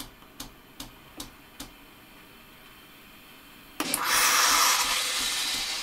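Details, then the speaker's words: Philips LatteGo espresso machine during a milk frothing test: a few soft ticks, then a sudden loud, steady hiss of steam. The milk-frothing water valve is not holding and needs replacing with a new one. "Widzicie domk się nie trzyma zawór wody słychać do"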